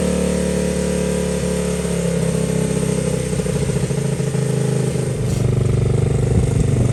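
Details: Honda XL70 K0 single-cylinder just started cold on a chilly mid-40s°F day: steady, slightly lumpy idle around three beats a second, settling in as it warms; sounds healthy.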